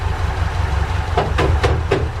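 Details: Ford Capri Calypso first start after 14 years stored, fuel only in carburetor float chamber: low, steady idle rumble holding even with no misses, a few light clicks over the top; normal idle.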